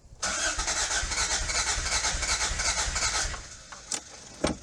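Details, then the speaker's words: 1986 Toyota MR2 AW11 salvage-yard car, new fuel tank fitted but still not getting fuel to the engine: fast even cranking, about three beats a second for three seconds, never catching; owner suspects the injectors aren't working. "Let's see if it'll. Those injectors are not working. It's the injectors."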